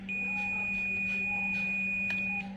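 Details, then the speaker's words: Samsung UA60F6300 60-inch smart TV power supply that trips the meter when plugged in: multimeter held across a suspect diode gives a steady high beep for about two seconds; one of two reverse-mounted diodes is shorted. "Nah di sini ada dua dioda, yang satu ini memang short teman-teman."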